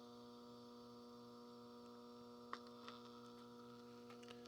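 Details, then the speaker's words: 1960s Channel Master 6528A AM transistor radio: only a quiet steady low hum and faint speaker hiss with a few clicks and no station; amplifier works but the oscillator stage is dead. "We can hear the hiss. So it is running, at least the amplifier is."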